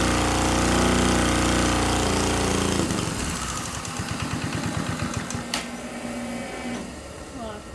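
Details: See-through small single-cylinder engine, turbocharged with adapted EFI, on the dyno at full throttle on 87-octane regular pump gas, fire seen in the intake beforehand: steady, even high-rev drone, then winds down into slower clean firing pulses; made 4.6 hp, healthy at full throttle.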